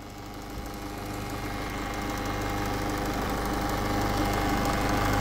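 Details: 2013 Peugeot 508 SW 2.0 HDi 163hp diesel at idle: steady idle with a fairly regular knock underneath, about three or four a second; abnormal noise, cause unknown.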